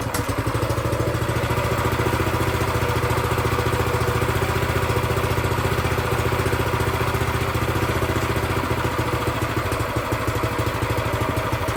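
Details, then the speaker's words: New Predator 212cc engine for a plate compactor, first start after oil and fuel: steady, even single-cylinder putter with no misses, starting easily on choke; the idle seems a bit low and is to be raised. "Man, that was easy. Choke again. Sounds like I need to bring the idle up a bit."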